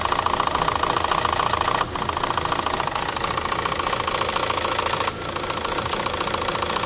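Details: Chevrolet Sonic 1.8 petrol at cold idle, with fluctuating revs and cam/P0366 codes after sensors, coil, solenoids and probably the timing belt were replaced: steady rapid knocking tap through a mid-pitched drone; cause unconfirmed, timing marks to be checked.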